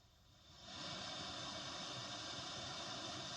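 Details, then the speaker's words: Caline CP-207 isolated pedal power supply feeding pedals into a small practice amp, gain full then halfway: even steady hiss swelling with gain, no chirps or hum; clean noise floor, slightly quieter than before. "It sounds, to at least to my ears anyway, that it is ever so slightly quieter, and that's good."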